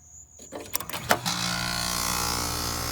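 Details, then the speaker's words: Carrier heat pump outdoor unit after the run capacitor is replaced: a few clicks, then a smooth, even hum comes up and holds steady as the compressor and fan start and run, cooling normally. "and i hear the compressor seal the fan snug let's put the door back on and go talk to the customer all right so it's up and running and cooling"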